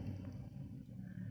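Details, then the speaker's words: Bare washing machine motor run on the bench for comparison: low, soft, steady hum with no knocking, rubbing or rattle. The motor spins quietly and nothing is wrong with it, unlike the noisy one. "não escutei o barulho Então tá bom agora esse aqui"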